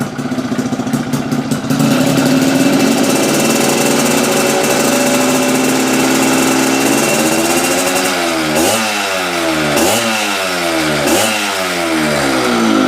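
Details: Yamaha Fiz R two-stroke, weak and unable to rev, after reed valve (membrane) adjustment: idles, then takes quick throttle blips with crisp rising and falling pitch; pulls cleanly, better than before.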